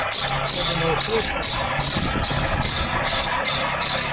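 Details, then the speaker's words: Engine at idle: sharp high chirping squeak pulsing about three times a second; water pump, alternator or drive suspected, to be isolated by removing drive belts one at a time. "Есть несколько вариантов. Это либо водяной насос, либо генератор, либо привод, т"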